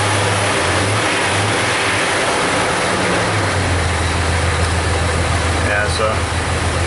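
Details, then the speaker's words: 2000 Jeep Cherokee Classic 4.0 inline-six, about 130,000 miles, check engine light flashing, misfire monitors counting on cylinder 6 (rear): uneven, lumpy idle under a low drone as one cylinder drops out; single cylinder misfire from dead ignition coil. "number number six here seems to be our problem child we shut it off before it gets too warm looks to me like that problem is definitely coming from the number six cylinder"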